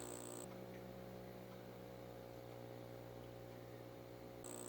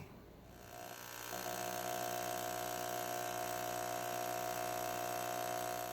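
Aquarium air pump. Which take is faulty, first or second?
second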